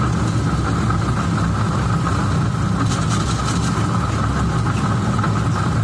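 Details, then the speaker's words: 2015 Cadillac ATS 2.5, started and put in drive: constant low roar under idle from a badly worn rear differential, which sounds like a wheel bearing when driving but isn't; differential being replaced. "i'm gonna start it up put it in drive and let you hear but it's it's roaring it's worn pretty bad definitely in that hall"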